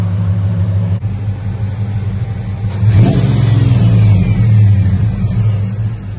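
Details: Ram Daytona truck after replacing noisy pulleys and fan clutch, previously making an airplane-like whine: engine hums low and steady, revs smoothly with no squeal or chirp; noise fixed.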